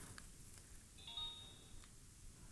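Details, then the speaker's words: Samsung A6 digital camera with a bent lens that won't extend: at power-on it gives one high electronic beep of about a second, like an error, as the broken, jammed lens faults; lens error beep. "it's beeping like an error and the lens is is totally broken here"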